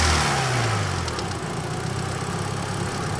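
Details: Engine with a microphone in the engine bay at idle, with a steady deep knock about three to four per second. First suspected as a bad lifter, it turned out to be a failed rod bearing and a cracked crankshaft.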